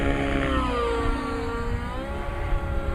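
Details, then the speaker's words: Nitro RC helicopter engine in full-collective climb then back to half stick hover, testing mid-range: note swings smoothly down and up with no rasp or smoke loss; clean mid-range transition. "And as you can see, it's a very clean transition."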